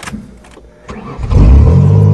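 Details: 1994 Ford Taurus wagon after reattaching the fallen gas tank and fuel pump plug: quiet cranking, then catches at about one second and settles into a strong, even run; clean, healthy start.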